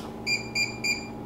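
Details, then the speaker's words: Townsteel RFID grade 1 lock, FCE/FME 4000 series: three short, high, even beeps about a third of a second apart, an error because the remote being cleared was never programmed to this lock. "so let me try that it gives me an error"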